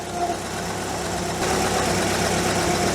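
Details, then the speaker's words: MK2 Volkswagen Scirocco that failed emissions on three cylinders, nearly up to temperature after fixing the fault: even steady idle with smooth pulse, no stumble; now running on all four cylinders, though blue oil smoke on startup. "As you can hear, we're running reasonably well. We're nearly up to temperature."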